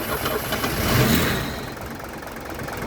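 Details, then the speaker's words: Mercedes W123 250 limousine, an ex-taxi parked 17 years: the engine catches, surges, then stumbles and won't hold idle. It seems to need a lot of fuel, with vacuum lines plugged; a fuel pressure regulator is suspected and it may not yet draw from the tank. "it just needs a lot of fuel okay yeah okay hopefully that it'll draw from the tank"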